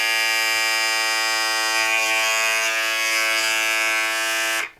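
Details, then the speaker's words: Braun 5 Series electric shaver, about five years old: loud, steady, high-pitched buzz for about four and a half seconds then cuts off; noisy motor, about three times louder than the new 7 Series. "the only problem with it is that it is pretty loud makes a lot a huge noise when in operation and it's pretty annoying especially first thing in the morning"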